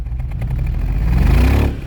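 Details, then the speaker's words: 2005 BMW X5, after VANOS motor replacement: engine revs up with uneven, stumbling pulses in the low rumble; misfire on cylinders 5 and 6 still present, injector suspected, not confirmed. "we started it up here you can hear that's the sound of a misfire 5 & 6 still missing give us some gas"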